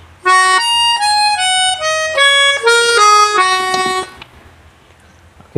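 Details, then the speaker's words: Melodica after repair of notes sounding by themselves (loose membrane/valve reseated): clean single reed notes in a bright melody, no doubled or beating tones; normal tone. "pianikanya sudah jadi ya dan suaranya normal tanpa ada suara dobel"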